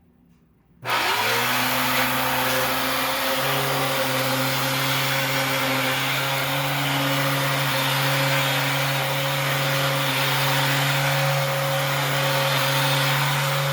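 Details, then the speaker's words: 2004 Dyson DC07 clutchless belt-driven upright vacuum: motor spins up to a loud, harsh, rough roar with a steady drone; brush roller has no play, and the changeover valve is misbehaving, with the housing badly warped. "there's no play in the brush roller, so I'm not sure why it's so obnoxious. Because, yeah, that's ridiculous."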